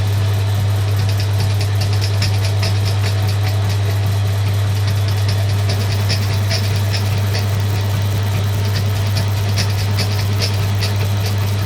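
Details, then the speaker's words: Suzuki GS550 being converted to fuel injection with second-hand Triumph parts, bench test: steady drone with crisp regular ticking about twice a second as injectors click and coils spark; injectors and ignition working. "I won't run this for very long but yeah I can still hear the injectors firing we've definitely got sparks"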